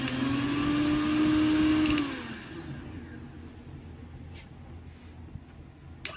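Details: Mixer grinder motor after repair of dead unit with worn part replaced: spins up to an even, steady hum for about two seconds then winds down smoothly, no sparking crackle or grinding; normal running.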